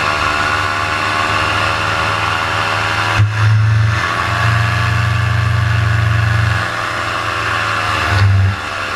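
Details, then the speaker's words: Paramotor in flight at full throttle: a steady drone whose RPM drops, bogs and stumbles, recovering unevenly as it loses power, which forced a precautionary landing. Engine bogging at full throttle, cause not stated. "coming up here shortly you're going to hear the RPMs just start to drop drop down and start to bog and bog and that's when I realize hey something's up"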